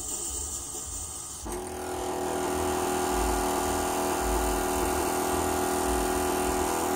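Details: 2008 Toyota Prius during a brake bleed: the electric accumulator pump buzzes with a steady drone and keeps running. Owner suspects a typical accumulator failure, possibly air in a check valve; cause unconfirmed: pump running continuously.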